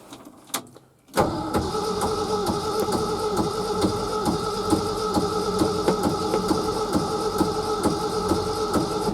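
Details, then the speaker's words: Early-1970s Ford F-350 sat about 7 years: starter cranks steadily with a dull thump each turn but never catches; owner suspects no spark, and an unidentified thumping noise persists. "No. Still nothing. Well, it never can be that easy. I was just hoping we could dump some gas down there and see, but it's probably not getting no spark or nothing."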